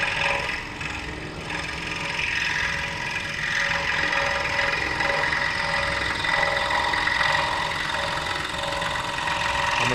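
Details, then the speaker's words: King Industrial scroll saw cutting wood with an air hose blowing sawdust clear: fast, even blade chatter about three strokes a second over air hiss; normal cutting. "okay now i'm going to cut this out and just show you how easy this is the air hose goes right about there so it's going to blow all that sawdust out of the way so i can see again"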